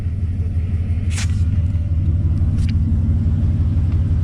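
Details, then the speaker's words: V8 truck idling after fixing a cylinder four misfire traced to the old pressure regulator port at that cylinder's intake runner: deep, steady, even rumble with no dropouts; all eight cylinders firing. "all right team check it out thing of beauty no misfires we're running on all eight"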